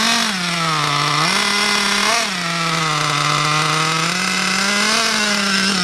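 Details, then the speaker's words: RC nitro car engine, bought new about 6 months ago, unused for a month and hard to start; after fitting a new glow plug and fresh fuel and adjusting the high-speed, low-speed and idle needles, it buzzes high and clean, revs rising and falling smoothly with throttle, no misfires. Normal running. "so as you can see all of those things I did uh Ena it to start running um it's a pretty R breast machine"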